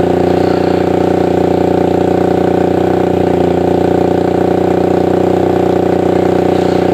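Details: Suzuki Satria FU 150 single-cylinder after porting and replacing valve shims: an even, fast beat of about 200 a minute, steady and clean with no misses or rattles; the engine sounds healthy.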